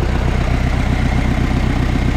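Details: Diesel ute, cold start after exhaust refitted, started after sitting a couple of days, boost about 19 PSI: steady even diesel clatter at idle, deep smooth pulse, no misses, knocks or leaks; normal idle.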